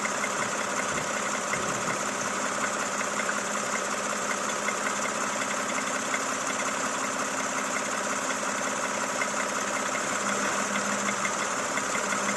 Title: camry xv70 3.5L, стук в двигателе, пробег 30 000 км.